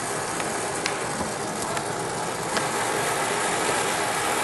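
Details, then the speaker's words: Oxy-acetylene torch adjusted from a carbonizing flame down to a neutral flame for soldering and brazing; steady, soft roaring hiss with a few faint pops, even and calm: neutral oxy-acetylene flame. "Okay, that's a neutral flame. If I add more oxygen, I now have an oxidizing flame."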